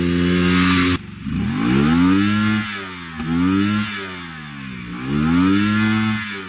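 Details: 1989 Honda VTF250 Interceptor, 249cc V-twin, with new plugs and a new fuel tank: fires and revs in uneven surges roughly every two seconds, hanging and dropping instead of climbing cleanly; stuck carburetor vacuum slide, carb needs overhaul.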